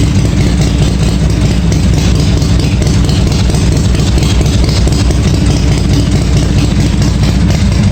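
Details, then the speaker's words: 1986 Harley-Davidson Softail V-twin after starter fix and filling the case with oil: loud, steady idle with an even lumpy beat, no rattle or clatter; oil quieted it down, running normally. "Don't hear any rattling. Well, starter sounds like it's disengaging all right. Engaging enough to start it, so I think that's good."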